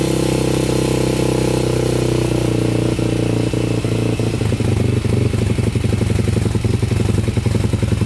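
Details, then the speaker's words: 2001 Honda 400EX quad, first start after new stator and rewiring: single-cylinder thumps fast and steady at a raised idle that never settles, smoking, throttle sticking high; choke left on; high idle with choke left on. "the choke was on that's why yeah throttle's still really high still smoking too"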